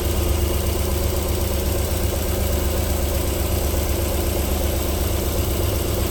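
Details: 1994 Alfa Romeo 3.0 24v QV engine, cold start-up settling into a smooth, even idle with a low steady rumble and no knock or tick yet; a normal cold idle before knocking returns after about 4 minutes.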